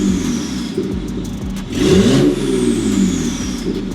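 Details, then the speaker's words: BMW 535xi E60 (N54) revved after fixing the misfire, no check engine light: engine picks up cleanly through a couple of blips and settles smoothly, no stumble or popping; normal rev response. "So, I'm going to rev it and see if it's acted up again. Oh, I'm still waiting for it to die out."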